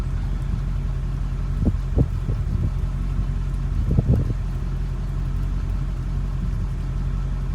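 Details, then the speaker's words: 1988 Chevrolet Corvette after replacing a stuck fail-safe thermostat: steady idle as temps climb, then the electric fan kicks on and idle lifts slightly to take the load; normal. "There it goes. You can hear the idle kick up a little bit to take the load."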